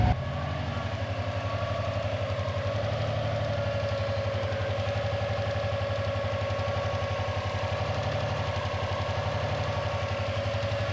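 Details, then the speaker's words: Non-AVCS JDM Subaru EJ205 boxer idling after timing belt and water pump replacement: faint irregular tick over the even idle, much quieter than the original loud metallic ticking; source inconclusive, possibly the belt tensioner, piston slap or rod knock not identified. "Inconclusive. Unless anyone in chat is familiar. I mean, it's just so much quieter than what it was when I first started."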